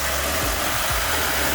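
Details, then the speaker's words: 2005 Mitsubishi Pajero (also called 2004) that would not start, first start after fitting a new battery to replace a dead one: steady, even idle with a smooth rumble and no knocks or misses; smells a bit of petrol. Normal idle. "Hey, we did it. That sounds like a a Pajarro that started to me. I think it's good."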